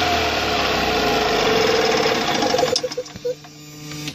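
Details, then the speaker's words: 2002 EZGO TXT with Robin 295 single-cylinder engine converted to Speeduino fuel injection, in neutral: steady brisk idle, then a brief rev dropping off, slightly throatier from adjustable timing; sounds healthy. "you probably notice it's got a little more throat sound to it and it's because we can adjust the timing now"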